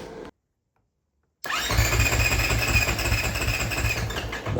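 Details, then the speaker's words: 2024 Husqvarna FS450 single-cylinder engine on first startup after rebuild with performance parts by Race Tech: fires after a pause and holds a strong, even, fast beat with no knocks or rattles; freshly rebuilt engine sounds healthy. "give it a second. There we are. Music to my ears. Gotta love the sound of a motor that was just rebuilt."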